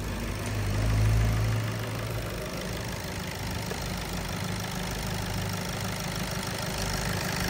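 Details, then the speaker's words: VW Golf engine with DSG, hard-starting on first cold start, idling with a belt-like fast light ticking about four times a second, confirmed by stethoscope as a noisy fuel injector, clearest at cylinder 4. "bir daha bakın sesi duyuyoruz bu ses enjektör sesi özellikle 4 tarafta çok net bir şekilde geliyor"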